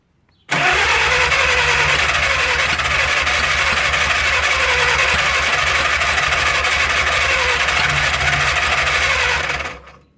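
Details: 1937 Willys four-cylinder flathead generator engine, left sitting covered outdoors 15–25+ years, catches on first start attempts with choke held open and runs about nine seconds with an uneven, lumpy, misfiring beat and harsh rattle before dying; owner suspects spark plugs fouled by transmission fluid.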